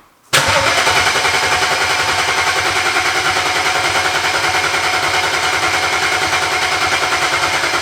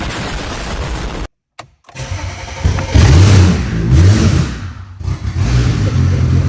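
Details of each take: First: Flood-damaged BMW 135i after 8 years in a junkyard, fresh gas added: steady starter cranking about three and a half beats a second for eight seconds, never catches; suspected no fuel pump or injector command, no fuel. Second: BMW 135i, flood-damaged, about 11,000 claimed miles, after 8 years in a junkyard: catches after brief crank while fuel pump is powered manually, blips and settles into loud even run, no knocking; injectors and pump were being inhibited, suspected security or coding.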